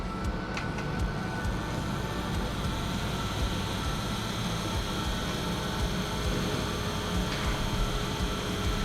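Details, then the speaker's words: PC build: graphics card fan blades clip loose cables at the bottom of the case because the motherboard's PCI Express slot sits low, giving a steady fan whoosh with a rough chattering buzz; lifting the cables clears it. "okay that buzzing is from the chords hitting the GP on the bottom so if I lift it up a little bit it'll be okay"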